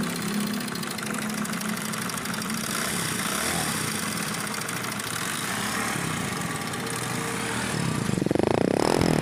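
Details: CD 70 (China bike) small single-cylinder motorcycle engine idling before timing chain replacement, with a busy metallic rattle on top from a slack timing chain and worn guide.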